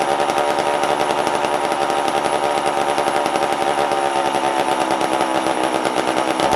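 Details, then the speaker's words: Vintage McCulloch chainsaw, carb being tuned, under load: high steady revs with thin buzzy edge; owner says it seemed a little lean. "give it a little bit on the load yet it seemed a little lean see what that does"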